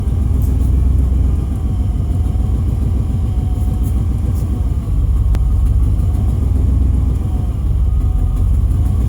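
Deep, uneven rumble that sags and briefly dips near the middle before picking back up; the engine is stumbling and barely staying lit. Cause suspected, not confirmed.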